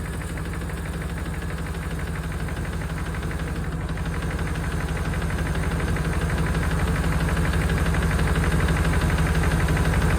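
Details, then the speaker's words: 1992 Chevrolet Caprice wagon V8 parts car, sat in a field, thought seized, running after storage. Faint even tick about three per second at idle; owner places it at front of engine, number eight rocker sounding a bit noisy, number two fine; unconfirmed. "definitely in the front of the engine H the number two rocker arms side sounds pretty good number eight sounds a little kny too"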